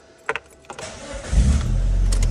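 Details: Mitsubishi Lancer 9 during chip tuning to Euro 2 emissions, with SRS and other faults pending: brief crank with a couple of clicks, then catches cleanly and settles into a steady low idle, a normal start.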